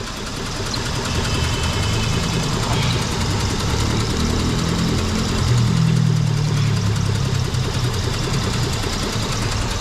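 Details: 2003 Mitsubishi Eclipse/Lancer with code P0300, power loss and high fuel use: low, uneven, shaking idle on only two of four cylinders. The misfire is traced to a faulty engine computer not pulsing the injectors properly.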